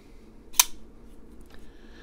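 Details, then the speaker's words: Damned Designs Djinn flipper knife after disassembly to chase a rattle, re-oiled and reassembled: single crisp snap as the blade flicks open and locks, faint click, no rattle; action smoother than before, normal flipper action. "yeah the front flipper works even better than before"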